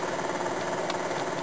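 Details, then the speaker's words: Toyota Yaris (USDM) with JDM automatic climate control conversion, blower stack not installed, brought down from max to a low setting: steady, even rush of air with no rattles, ticks or squeal; blower running smoothly. "So I'll bring it down to much lower setting here."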